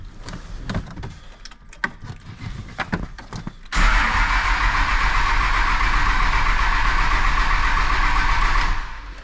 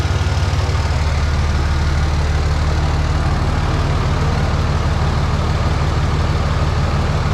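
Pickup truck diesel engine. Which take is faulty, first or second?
first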